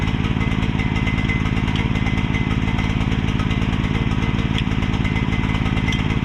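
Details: Mini excavator with pull start, bought broken from a neighbor and just repaired, left running while the track is refitted; small single-cylinder engine thumping fast and steady, about three firings a second, slightly rich and uneven, smoking because the choke was left on.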